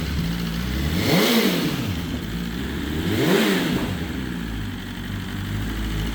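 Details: BMW S1000RR first start after the oil plug came out and oil went everywhere: smooth idle with two quick clean throttle blips, no knocking or rattle; engine sounds healthy.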